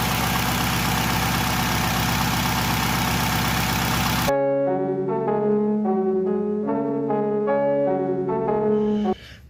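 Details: Honda Civic EP3 K20A3 after new spark plugs and coils for ignition misfire: steady, even idle for a few seconds with no stumble or skipped beats; firing cleanly.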